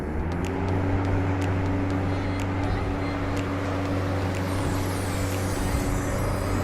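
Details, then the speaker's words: Restored mid-1990s Crompton Greaves TransAir 9-inch (250 mm) exhaust fan, test run through a series lamp: steady even low hum, turning slowly, no knocks or scraping. Fan running slow on series lamp. "Now let's do a test run. Yes, quarter pin I'll put it, don't worry. Slow due to the series."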